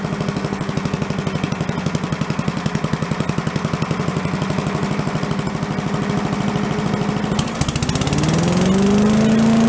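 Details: Commercial walk-behind leaf blower bought not running with carburetor problems (flooding, shut-off not shutting off), after carb work and air cleaner refit: small two-stroke idles with a quick even pulse, then revs up cleanly to a steady whine; normal running.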